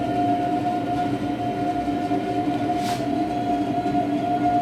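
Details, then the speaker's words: Wall-mounted gas boiler firing at maximum power for hot water: steady mid-pitched whistle over the burner's even roar, absent when heating at maximum; speaker says such noises are not a boiler problem; whistle at full power on hot water. "вот работает сейчас на максимуме по горячей воде появился песка слышь ты"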